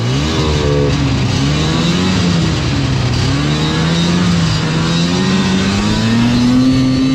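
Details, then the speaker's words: Bogging liquifire sled (bogged from quarter throttle up) at 20°F, after choke plunger adjusters set to thirty thou: engine note climbs smoothly and cleanly as throttle opens with no stumble or bog; normal acceleration, fixed. "all right now that's definitely more like it's supposed to be I think we got her fixed"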